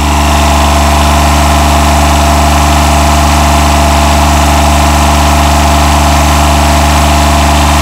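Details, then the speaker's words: 1990 John Deere 332 mower, 3-cylinder diesel, during repair (owner suspects an interlock issue rather than fuel): steady low thrum at idle, fairly even but soft and unsettled, improving but still weak; weak rough diesel running. "sounding a little better so [Music] far still sounds a little weak [Music] honestly starting to sound a little better though"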